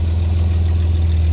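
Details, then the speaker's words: 1988 Chevy S10 just after a fuel filter change: loud, deep idle with an uneven, lumpy beat and a slight stumble. It was running rough from one faulty fuel injector, found later. "So, in that clip, I could tell that the truck wasn't running right. Like, it just sounded off from when we initially did the review on it and all this other shit."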